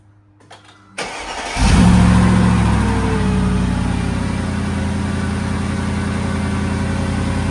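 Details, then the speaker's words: 2010 Mercedes G55 AMG M113K V8, cold start after replacing all 8 coil packs to fix a rough idle: quick crank, clean catch, raised idle easing down to an even steady beat with no stumbles. "you can tell the idle's a little high right now when it first starts. We're gonna wait for the idle to come down."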